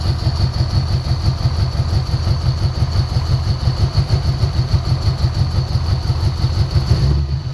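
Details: 1990 Ford Mustang 5.0 GT V8, sat over 4 years with engine apart: deep uneven idle lumping about three beats a second; misfire, spray test suggests bad injectors rather than ignition, suspected not confirmed.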